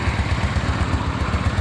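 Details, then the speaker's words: Honda Steed 400 V-twin, carburetor cleaned and oil changed: started cold on the first try without choke, holding a steady, even, quiet low thump with no misses or knocks. Normal healthy idle. "ต้องเบิ้ลเลยตอนกว่าเบาๆไม่ต้องดึงโชว์ก็ติดคาบูดีหัวเทียนดีระบบไฟนี้นะครับน้ำมันดีก็สมบูรณ์ครับตาร์ติดง่ายสนแต่ก็เงียบนะครับ"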